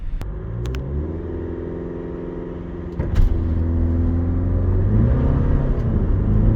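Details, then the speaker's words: 2025 VW California T7 Ocean, 2.0 TDI four-cylinder diesel, 150 hp, about 2475 kg: 0–100 km/h full-load acceleration run with full fuel and water tanks timed at 12.6 s, with a deep, even drone climbing through the gears and no knocks. "Ja jednak do testu wybrałem 2.0 TDI o mocy 150 koni, który tak sobie klekoczy. No klasyczne cztery cylindry, nic specjalnego."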